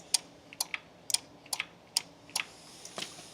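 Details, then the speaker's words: John Deere 455 diesel tractor that won't crank, during step four of the diagnostic: sharp dry clicks about twice a second with no cranking behind them, the start relay switching normally. "start relay relay clicks you'll hear it click where's the key at I can hear it clicking so I know the relay is"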